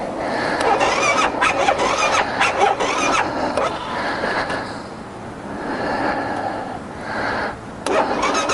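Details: 2012 BMW G 650 GS Sertao at about 3050-3150 miles, 40.9°F outside, with ongoing starting issues (sixth time): starter churns at about four beats a second and never catches. Cranks but won't start; decompressor lever suggested as the cause.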